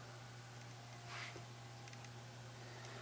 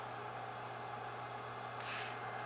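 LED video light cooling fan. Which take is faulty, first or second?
second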